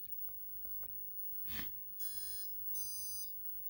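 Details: OMP M2 V3 Pro helicopter on Mikado VControl: two steady high half-second beeps in a quiet room as the controller resets normally after saving settings with S-Bus range set to Futaba.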